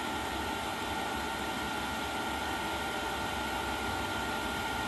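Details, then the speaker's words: Chinese diesel heater (Webasto clone) with Afterburner controller, mocked up in the shop on a burn-off run, ramping up output: steady airy hiss with a faint constant hum and pump ticking, no rattles or scraping; blower running evenly and normally. "you can kind of hear what this thing sounds like you know the pumps ticking there this is just mocked up you're not not supposed to run it like that obviously this thing's starting to ramp up here"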